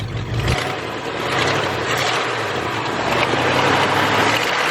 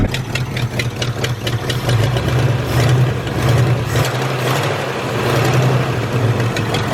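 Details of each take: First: Ford F100, three-on-the-tree, revived after sitting 30 years in a field: rough idle with uneven ticking clack about twice a second under exhaust rumble; exhaust manifolds clacking, leaking at idle, otherwise sounds pretty good. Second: Ford F100 V8 that sat 30 years in a field, first run after replacing rotten rubber fuel line; steady, even idle with low rumble and light valvetrain ticking, no misses; charging confirmed.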